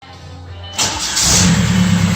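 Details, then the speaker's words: Starter replaced on a 2004 Audi allroad swapped to a 2.0 TDI BHW PD diesel from a 2005 Passat; short clean crank on a new flywheel, catches at once and runs evenly, no grinding; normal starter engagement despite spacer fit doubts. "it's okay and it is a brand new flywheel maybe you know stuff will work its way in anyways I'm happy"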